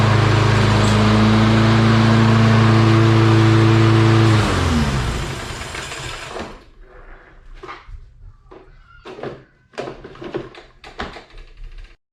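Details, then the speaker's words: Lawn Boy mower with Kohler engine, after cleaning rust particles from the carburetor jet, now starting without starting fluid: runs steady and even with no misses or surging, then winds down at shutoff; normal running. "All right, so we've got ourselves a running mower here. Happy about that. Didn't take much, just a little bit of, you know, rust particles in the jet there."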